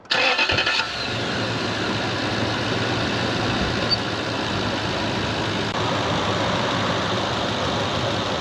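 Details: The starter spins briefly and the V8 fires straight away, then settles into a steady, even idle with no grinding or misses; normal start and idle.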